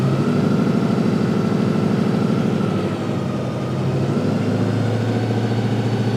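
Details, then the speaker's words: 1955 Chevy Napco clone with a rebuilt transmission (probably Turbo 350) assembled from parts of several units, fluid topped up, tested through the gears: revs climb and hang with no shift; not upshifting, valve body fault suspected. "It really doesn't seem like it's shifting through gears. That's not good."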